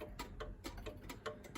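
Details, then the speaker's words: Centuries-old verge escapement clock with knife edge worn and filed up so pallet arbor no longer pivots through its centre line, rear pallet dancing and affecting drop; steady slightly uneven tick about three beats a second. "the knife edge wears it gets filed up and what happens is the uh the escapement the pallet art there no longer runs through its center line so it doesn't pivot through its centerline anymore"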